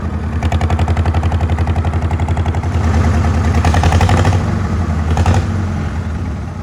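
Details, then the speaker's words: Old Farmall H tractor at idle: lumpy, uneven chuffing about four beats a second, exhaust popping randomly, low on power; owner thinks it is down on cylinders, suspects bent pushrods or stuck valves. "cuz I took it down the driveway and I can hear the exhaust popping rand randomly like it'"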